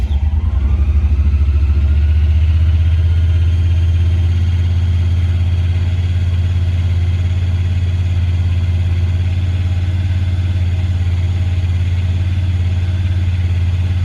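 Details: 2017 Honda Pioneer 1000-5 high rough idle, a raised steady drone with an uneven pulse; code 9-2 (IACT); sometimes won't go into gear; cause was factory over-crimped, broken wires at the IACV plug, fixed by replacing the plug.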